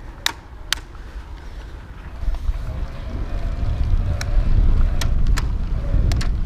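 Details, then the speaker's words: BULLS Lacuba EVO E8 e-bike internally geared hub while riding: several sharp clicks when shifting with too much pedal pressure, hub won't shift right away; gear hub clicking under load. "You might hear it clicking there for a second, and that's what happens if you're shifting and there's too much pressure on it. It won't shift right away."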